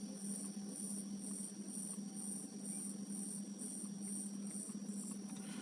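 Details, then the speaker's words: Panasonic refrigerator whose compressor runs in cold and stops in warmth: faint, regular high-pitched cricket-like chirps about twice a second over a low hum from the control board; sound changes when a coil is lifted, suspected poor contact, not confirmed. "возможно что-то там с контактом как я предполагал вот этот сверчок там где то стоит"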